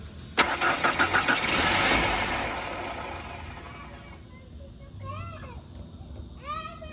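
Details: 1991 Mercury Topaz cranks but won't stay running; fuel pressure gauge (Proto master JFP1200MS) hooked up, crank test reads about 50; about two seconds of steady starter churning, engine never fires. Cranks but will not start.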